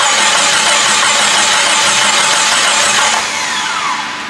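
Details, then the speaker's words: Jeep Grand Cherokee refreshed 4.0 with a cheap eBay turbo kit, first start, no coolant, no boost. Steady cranking with no firing. The fuel pump kicks in, so the crank sensor works; owner suspects it is out of gas. Crank no start, fuel starvation. "Maybe out of gas, to be honest. Fuel pump's kicking in, so that means crank sensor's working."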